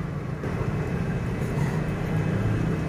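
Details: Air conditioner outdoor unit running after its condenser fins were washed: steady low hum and even fan rush, and both pipes are sweating; the not-cooling problem was blamed on compressor overload.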